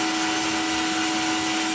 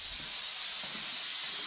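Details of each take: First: Cheap blaster cabinet during first test blast with vacuum extractor on, compressor may cut in: even, unbroken vacuum roar with clean steady hum, no surging or rattles; extractor running normally. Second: Cheap blaster cabinet, compressor charged but switched off, air just turned on: steady high sharp hiss with no engine underneath, air escaping through the receiver drain left open; compressed air leak at drain valve.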